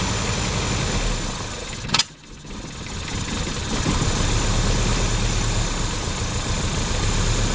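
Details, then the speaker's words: 1955 Hudson Metropolitan barn find, first start after 28 years sitting, new coil just fitted: a click, then it catches and runs rough for a few seconds on starting fluid poured in the carb; it fires but isn't getting fuel. "she's alive she's alive a good one nice okay so from this we're going to know that uh we're going to know that it's not getting fuel right because uh look at it that just ran"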